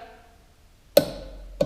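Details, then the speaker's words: Small 3/8-inch torque wrench (Haskyy) set to 10 N·m with a 13 mm socket tightening a valve nut: two crisp clicks about half a second apart as the wrench breaks over at set torque. "vois que ma clé lâche on la voit bien tournerin voilà elle prend un petit jeu on entend le clic c'est que là on a atteint les 10 Newton"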